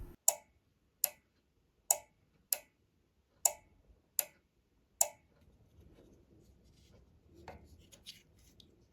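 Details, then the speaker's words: NX Audio MT1601 power amplifier, channel A had no output, after replacing the defective output relay: sharp, crisp single clicks, about seven in five seconds, in a quiet room; normal relay clicking. "Now that we have replaced the relay, let's check it again. Now you can hear the sound of a relay."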